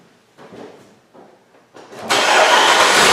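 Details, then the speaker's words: Car with a battery that was already low, cranked while a Power Probe IV monitored voltage: a few sluggish, widely spaced cranking strokes before the engine catches; minimum cranking voltage hit 8.89 V. "This battery was pretty low to begin with, but we can take a look. We can see our minimum voltage hit what, 8.89?"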